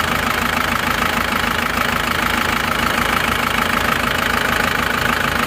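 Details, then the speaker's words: Non-turbo Isuzu Panther diesel being revved in a comparison of replaced versus reversed original liners, same temperature, oil brand and original cleaner; even clatter, no knocks or misfires, sounds the same as the turbo one. "kita beralih ke ini yang non Turbo ini kita gas suaranya juga sama"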